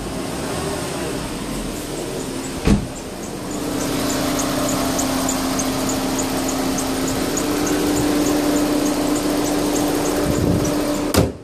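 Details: 2008 VW Touran 1.4 TSI Sport 170bhp petrol engine: thin high-pitched squeak about four times a second in sync with engine revs; also squeaks at gear changes under acceleration; cause unknown.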